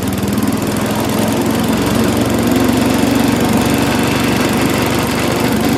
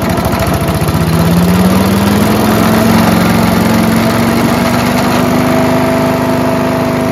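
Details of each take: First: Mighty Mac wood chipper/leaf shredder, previously non-running, small engine first start after priming with gas, buzzes at steady fast idle without stumbling or surging; runs on its own normally, though flails had briefly jammed, possibly on a branch. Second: Mighty Mac wood chipper/leaf shredder, Briggs & Stratton engine, just restarted after choke flap replacement: loud steady run with heavy shaking drone, tone slowly rising as it settles; violent vibration from flails unbalanced by years of caked mud.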